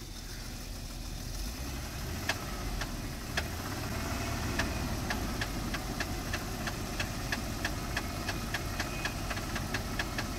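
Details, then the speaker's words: 2004 Jeep Liberty Renegade, very high km, no oil change in over 100,000 km, cold start: sharp metallic ticking about three per second, quickening with revs, plus an intake backfire; judged timing chain slap, collapsed lifter or dropped rocker suspected. "okay stop yeah no it's timing chain slap because it backfired"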